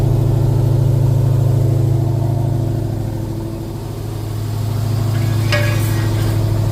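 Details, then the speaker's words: Plymouth with 392 Hemi and 9-inch rear end, in gear at light throttle: steady deep drone with regular pulsing wobble about three beats a second; new tires visibly hopping, driveline smooth, bent rear axles suspected. "there's almost you can almost see a hop there you hear it that tire is bouncing these tires are brand new"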